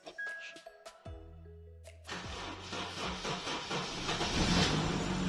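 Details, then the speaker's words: Car with a dead battery started using a 99800mAh jump starter booster pack: a few electronic tones, then the engine cranks, catches within a second and rises to a steady idle; a clean start. "wow start all right it's on a dead battery"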